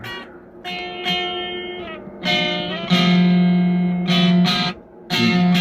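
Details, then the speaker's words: DigiTech Twin Tube GFX1 rack guitar preamp with a 12AT7 fitted where a 12AX7 belongs, gain at 12 o'clock. Plucked notes ring clean with almost no grit; distortion appears only at full gain. The wrong tube causes weak distortion. "No distortion at all, it's clean. I gotta turn it all the way up to get any kind of distortion out of it with the 12A27."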